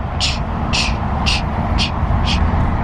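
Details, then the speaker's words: 2014 Ford SVT Raptor, about 159,000 miles, while driving: hissing whoosh pulsing about twice a second in time with wheel rotation over road rumble; owner suspects a dragging brake pad, nothing scraping the wheel, unconfirmed. "seems to be associated with the tires or revolution of the wheels so i'm pretty sure it's probably a dragging brake pad or something nothing's scraping on the wheel"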